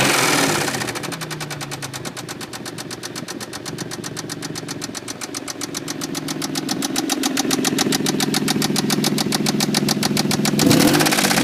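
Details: Toyota Tacoma 3.4L V6 at idle while heating up: sharp, steady loud knock about three or four per second, a bad lower-end knock, before trying engine treatment.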